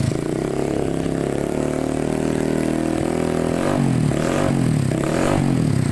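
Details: Honda Scoopy FI with racing open exhaust, after replacing a failed camshaft bearing and adjusting valve clearance (rocker arm was previously misassembled, causing rattling): loud exhaust but even idle and light revs, no ticking or rattle; engine running clean.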